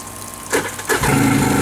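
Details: Wave Raider two-stroke jet ski that sat a long time, treated with Seafoam fuel treatment: a few rough cranking pulses, then it catches at about one second and settles into a steady, even run.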